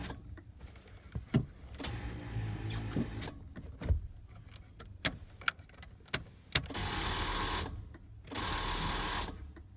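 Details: 1993 Chevy Silverado 1500 with 350 engine: short bursts of starter cranking with clicks between attempts, engine never catches; crank no start, cause unknown.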